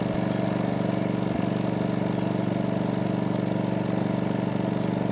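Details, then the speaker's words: MaxPeedingRods 3200 W inverter generator, eco mode off, full speed; about 74 dB exhaust toward listener, roughly 2 dB less pointing away; steady, even drone with regular pulse, no surging or misfires; normal running. "we'll say about 74 decibels with the exhaust pointing towards us you lose about two decibels with the exhaust pointing away from"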